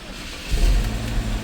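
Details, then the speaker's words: 2015 Chevy Equinox starting just after starter replacement and battery negative cable reconnected: brief crank, then catches quickly and settles into a steady idle with no grinding or stumble; normal start after repair. "There it is. There it is. She's alive and well."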